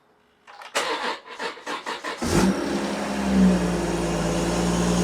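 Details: BMW M240i (B58) crash-damaged rebuild after a new high-pressure fuel pump and downpipe/turbo work: starter cranks in even pulses for about 1.5 seconds on a retry, then the engine catches cleanly and settles to a steady idle.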